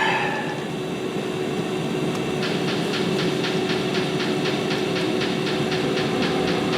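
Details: Webasto 90ST preheater on a Ponsse Buffalo, after disassembly and cleaning: steady burner roar with quick even dosing pump ticking about three times a second; running smoothly.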